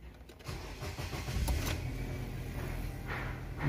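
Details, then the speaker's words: Car with check-engine light after fuel pump replacement and misfires, light reset by ignition cycling without scanner: brief cranking, engine catches cleanly and settles to steady idle; normal start. "maravilha hein e olha só se ligou a galera não tem erro Dá super certo"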